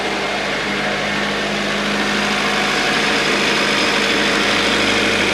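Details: Acura idling right after new AC, alternator and power steering belts, idler pulley and AC compressor were installed: steady, even idle with a constant faint hum and no squeal or chirp from the belts.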